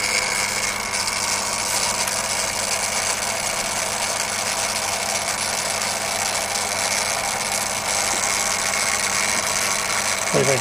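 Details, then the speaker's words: Refurbished and upgraded Daiwa DR-7500 antenna rotator on DC-7011 controller, casing reinstalled, rotating toward east: steady even gear hum at constant pitch, no grinding or clicks; runs smoothly, quieter with casing on. "so we're spinning around the left it's a bit quieter now that the casing is on see how close we can get to here we're coming around to east"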